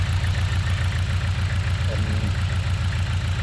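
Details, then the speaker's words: Engine idling with a regular stumble about twice a second and uneven chug, smelling of unburned fuel; misfire at idle, ignition coil suspected, not confirmed. "as you can hear now the engine is a misfire and joking it's not and it's smelly"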